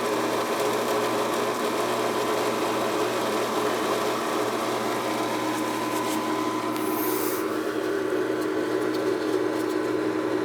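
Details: AC unit condensate pump that won't shut off after the AC was off all night: steady high whir that never cycles off. Owner suspects slime or a blocked 3/8 discharge line.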